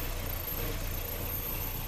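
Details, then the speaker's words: Chevy/Opel Corsa petrol four-cylinder idling low and uneven with heavy vibration; disconnecting cylinder 1 injector brings no change, confirming that cylinder dead from a faulty injector or harness. "van ustedes a desconectar cada uno de sus inyectores Por ejemplo yo voy a desconectar este el 1 que es el que me está fallando"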